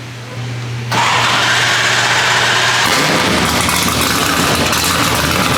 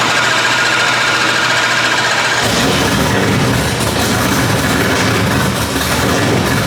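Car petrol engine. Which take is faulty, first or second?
first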